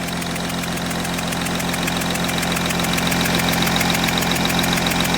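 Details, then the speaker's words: Audi Q7 3.0L diesel with cylinder 4 misfire (P0272) and low rail pressure (P0087), idling, heard at one injector: sharp even puffing tick three to four times a second over clatter; compression leak at injector seat, copper washers to be replaced. "I don't know if the camera is picking up the noise listen to this you see that that's a compression leak right there you see that so this injector"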